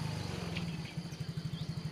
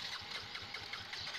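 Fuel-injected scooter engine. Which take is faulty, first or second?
second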